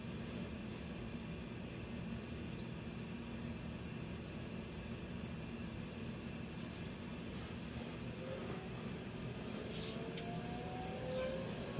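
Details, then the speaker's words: Older Lochinvar Knight modulating condensing gas boiler (2007–2008, unserviced for years, cascaded pair), one firing up while the other stays in standby at about 144–152°F: steady low hum and soft roar, no banging. "There's our end switches just closed. This one's firing up. That one's still in standby mode."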